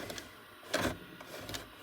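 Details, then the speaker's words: JVC DR-MV79B DVD recorder/VCR combo after a failed prior repair attempt, tape inserted: short whirring motor bursts about every half second with no steady drive; loader never takes the tape and unit shuts down; head drum spins; capacitor or mechanism timing suspected. "it never goes takes the tape at all and then of course it just shuts down and that's all it does pretty much"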